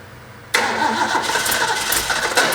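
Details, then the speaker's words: Rebuilt Ford 351 Cleveland V8 from a barn-find 1972 De Tomaso Pantera: fast idle with sharp, irregular puffing ticks from exhaust headers leaking at deliberately fitted cheap header gaskets. "all right well we got the engine running got it warmed up real good and if you could hear it you could hear the headers leaking and I purposly used the cheap header gaskets"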